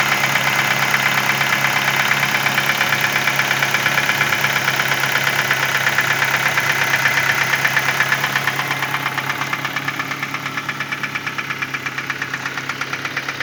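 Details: 2010 Ford Focus at idle: fast, very even ticking, roughly three per second, over a steady idle hum; source unknown, owner reports an engine sound problem.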